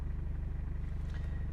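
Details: 2000 Toyota Cresta 2L-TE diesel lost pulling power after water in fuel (owner's claim): quick, evenly spaced sharp metallic knocks from injection pump side at idle; injection pump knock.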